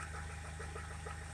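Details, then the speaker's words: Rover 75 at idle: steady low idle with a light, fairly regular tapping about three per second; cause not identified. "let's see if you can identify this noise seems a bit tappy show you what i mean"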